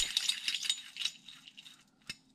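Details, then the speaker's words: Malaguti engine stripped for rebuild: dry, gritty metallic rattle as the bare crankshaft, apparently original, is spun by hand and slows; it rattled like bearings before, so worn crankshaft bearings, crank must be replaced. "Tātad kloķeni jāmaina. Gultņi jāmaina kloķenei."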